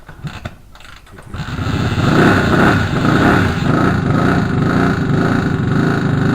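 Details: Moto Morini 250 2C twin, rebuilt with new ignition, carbs unbalanced with blanked balance pipe: fires into fast uneven running with loose metallic rattle about twice per second; internal problem suspected, not low-rev idling.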